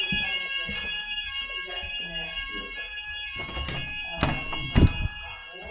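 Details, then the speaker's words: Fire alarm in a pre-school, open plan now divided into corridors and rooms with doors: faint steady alarm tone under room noise and footsteps, barely audible; sounder too quiet to carry into the partitioned rooms. "All these rooms and now they've got doors on them and you can't hear anything. It's not very loud at all."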